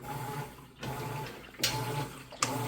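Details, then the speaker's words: Amana top-load washer, a couple of years old and in excellent condition, agitating a load. Quiet, even swish-and-hum strokes reverse about every 0.8 seconds with soft clicks; normal, healthy agitation. "it's getting busy agitating, pulling those clothes down the center along those fins, down the bottom along the fins on the bottom, and then up the side, and it does this vortexing motion."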